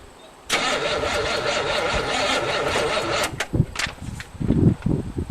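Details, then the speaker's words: 1963 Allis-Chalmers loader with 1978 Monte Carlo 305 V8, first start after 5.5 years, third try: starter grinds about three seconds, engine sputters a few uneven firings on squirted fuel, then dies; catching but not running. "Here we go for try number 3. Oh yeah, that's starting to happen."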